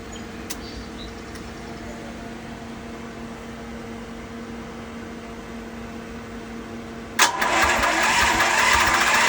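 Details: Westinghouse WGen10500TFc tri-fuel generator on natural gas, hard starting since purchase and needing about five minutes of attempts: quiet hum, then the engine catches abruptly and settles into a loud, steady run; runs normally once started.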